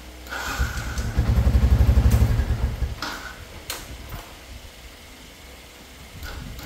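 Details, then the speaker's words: Yamaha Exciter 135cc motorcycle with recently replaced new battery: electric starter churns about four pulses a second for two seconds without catching, then short failed stabs; long cranking, hard starting, cause not yet found. "Tôi lại ấn lại một vài lần nữa thôi. Đề rất chi là khó lên các bạn nhé."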